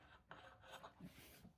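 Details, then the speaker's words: Riverside front wheel with a newly fitted aftermarket brake disc, turned by hand: faint, light scraping swish coming and going; slight disc rub around the edge, to be ground back. "I don't know if you can hear, there's a little bit of rubbing. Not much, just a tiny bit."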